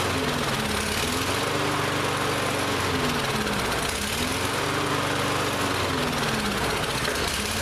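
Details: Lawn-Boy mower that would not start this season, after priming to pull fuel through, now runs but speed surges up and down every few seconds; carburetor still partly gummed up, carb cleaner to be sprayed in.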